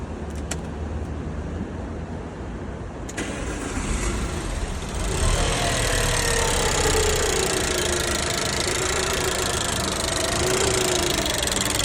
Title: Giulietta QV engine ticking sound and poor ￼idle.